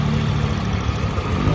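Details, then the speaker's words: Honda Vario 125 LED that kept overheating, idling after repair (head gasket, missing dowel pins fitted, warped head skimmed, new water pump; earlier knocking blamed on a worn bearing): a steady, smooth low hum with no knocking; normal idle. "ini adalah suara mesinnya lumayan halus ya haluslah hungan motor"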